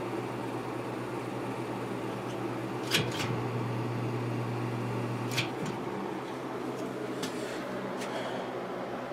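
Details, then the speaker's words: Lakewood P223 first-generation fan with Westinghouse motor, dusty but spinning freely, run unloaded before oiling: low, steady electric hum with no rattle or scrape; motor runs smooth and quiet, normal running. "oh the motor runs smooth and it's quiet so I think it's in pretty good shape"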